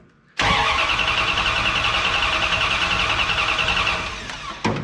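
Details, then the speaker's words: Ramcharger that sat in a snow bank all winter and had not run in about a year, cranked with a newly replaced, untested starter: starter turns the engine over at a steady, even pace for about three and a half seconds without firing; normal starter cranking. "now for this particular engine I really don't care about it so we'll just hit it with the starter"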